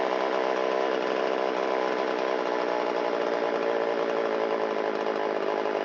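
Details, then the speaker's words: Shindaiwa 360 two-stroke chainsaw, long-stored, Walbro WT-89 carburetor, choke in, after low-speed screw turned out half a turn for a lean bog: steady buzzy idle sags slightly instead of holding even. Idle mixture a little too rich; screw turned in a quarter turn. "That little dip down indicates it's a little too rich at idle."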